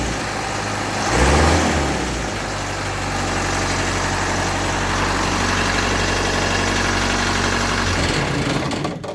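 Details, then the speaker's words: Land Rover Series 3 diesel, first start after starter solenoid fix and new glow plugs: steady, even clatter at idle with minimal smoke, no misses or knocks; runs smoothly, still wants a little adjustment. "minimal smoke still wants a little bit of adjustment on it but yeah what a nightmare that was"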